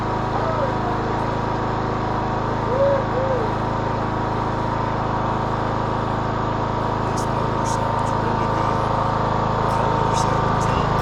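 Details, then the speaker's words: 2014 Troy-Bilt Bronco 13WX78KS011 mower, Kohler 17 HP. No-start from a malfunctioning fuel shut-off solenoid, now fitted with a new HiPA carburetor. Steady, even hum with no misses, surges or knocks: running smoothly after the repair. "Sounds good. What we want. Love it."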